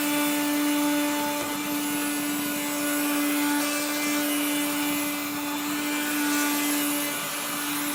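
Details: 1970s blue Regina Electrikbroom 3-speed vacuum, just arrived, vacuuming a floor. The motor and fan are dry after someone washed it. A steady motor hum carries a continuous gritty rasp from dry, grinding motor bearings.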